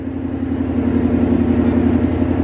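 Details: 2018 Mustang GT Gen 3 Coyote V8, first startup after Comp stage 2 NSR cams, Boundary oil pump gear and crank sprocket install: loud, steady, slightly lumpy idle with even cam lope, no ticking or knocking; normal idle.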